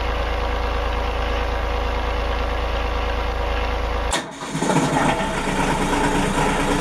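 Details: Denyo DCA-15SS-N genset, 1.6 L 3-cylinder Nissan diesel (18 PS at 1500 rpm), over 30 years old, cold start after preheat following years unused: steady low drone, sharp catch at about four seconds, then fairly even idle, smoking a little; normal cold start.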